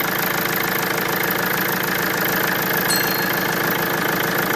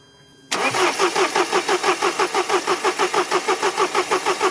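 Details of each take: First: Mercedes diesel after replacing the injection pressure regulating valve (rail pressure fault had appeared at about 3600 rpm), with air being bled from the circuit: a steady idle with even clatter and no misses or hunting. Normal idle. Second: Mercedes after replacing the injection rail pressure regulation valve (fault had appeared around 3600 rpm): starter cranks steadily at about three compression pulses per second without catching; air was in the fuel circuit.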